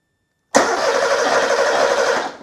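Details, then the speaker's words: Porsche 911 Carrera 3.2L on an engine test stand after sitting: about two seconds of steady starter whirring with no firing; fuel pump runs but there is no spark and the scope shows no ECU signal to the coil; cranking no-start. "no spark fuel pump is turning on though which means this ecu is getting some signal but we still need to diagnose why there's no spark"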